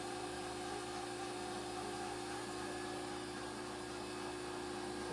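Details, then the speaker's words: Table power feed on a ZX7550WA milling machine powered by a newly wired Roto-Phase model M 3-phase converter: steady even motor hum with a smooth whirr, no knocks or grinding; normal power feed operation. "And if we turn this on here, there's our table feed working."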